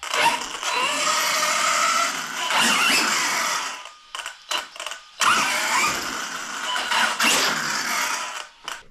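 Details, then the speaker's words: Arrma Kraton 1/8 scale 6S RC truck after rear differential replaced with a sturdier one with no play: loud bursts of rising and falling motor whine with gear hiss; the earlier clicking is gone. "It's hard to tell in the video with the sound, but it no longer has that clicking sound. It's just a loud truck, but yep, it sounds much better, and that clicking sound is gone, so it's a success."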